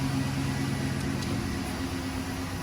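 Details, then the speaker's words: 2011 GMC Sierra V8, after new NGK spark plugs and wires and several restarts: steady even idle with no misses or knocks; normal idle, check engine light off. "Ooh, it's sounding better. I think maybe the computer just needed to figure something out."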